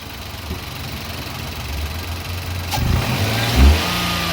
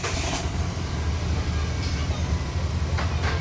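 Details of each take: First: Nissan Micra three-cylinder petrol engine after misfire repair (old ignition coil refitted, fuel trims reset): idles with a low even rumble and revs smoothly on a light blip, no hanging or misfiring, no trouble codes. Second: Nissan Micra idling fast at about 1100-1200 rpm with the check-engine light on and high fuel use: an uneven, stumbling low pulse. Cylinder 3 is misfiring, from a failed coil and worn plugs.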